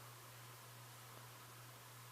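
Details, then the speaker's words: 36-inch Design House Carousel spinner ceiling fan with cane blades on low speed, after low-speed wiring fix in switch housing: quiet steady airy rush with faint low hum, no ticking or bearing growl, moving a light breeze; running smoothly. "it's it's silent it's no lab to lab bearings or any weird noise coming from it I mean I mean I can probably hear a little hum but it's not bad and it's moving a little breeze and low"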